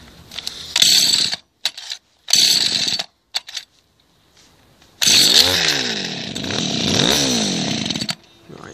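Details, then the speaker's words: Two-stroke hedge cutter, second-hand, throttle held down while starting after a quarter-turn mixture screw adjustment; fires in short buzzing bursts that die away, then runs rough and surging; cutting out, mixture likely off. "let's just trigger that then start it it should start but this is cutting out i don't know"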